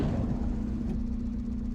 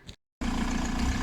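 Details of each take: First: VW TDI diesel in a T3 van, after the inlet manifold cleaning and a rough-running, smoky episode: the idle has settled into a steady, even low drone with no hunting. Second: VW TDI diesel in a T3 van after inlet manifold cleaning: clatters into a heavy, lumpy, slightly uneven idle with deep pulsing beat, from the injection pump turned up far for more fuel.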